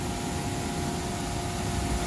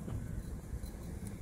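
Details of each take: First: York gas pack rooftop unit after the failed indoor fan (blower) bearing was replaced: a steady rush of air over an even, constant hum with no grinding, squeal or bearing rumble. The blower runs normally after repair. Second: York gas pack rooftop unit, indoor blower fan running after startup: a steady rough low rumble with an uneven churning grind and no rhythm. Bad indoor fan bearings, at least one sharp, likely both to be replaced.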